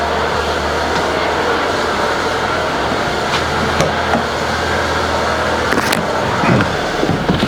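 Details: Citroën BX engine after a high idle was corrected at the cable, suspension in high position: even, settled engine hum with no hunting or surging over outdoor background; normal idle speed.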